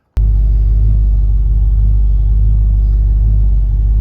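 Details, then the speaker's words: 1967 Mercury Cougar on the morning of a roughly 1250-mile road trip from Washington to California: a deep, steady low rumble with an even beat and no stumbles, running pretty smooth. "well it seems like it's running pretty smooth this morning"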